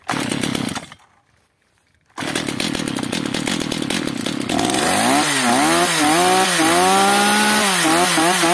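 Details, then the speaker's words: Stihl MS 230/250 chainsaw, unstable running and stalling, possibly previously rebuilt by owner, possibly weak compression: after carburetor L-screw adjustment it revs up and falls back with a steady buzz, nearly right but dies at idle; throttle stop (idle) screw set too low. "widzicie pilarka w ogóle nie chce wejść na obroty niech sobie utrzymać obrotów wcale"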